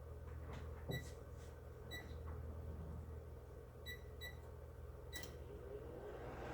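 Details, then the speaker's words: Microwave under test with a cup of water as load, running but not heating: only faint fan and turntable hiss with control beeps, no deep transformer hum, so the transformer isn't powered. "it's running right now we want to see if it's eating it's not heating okay"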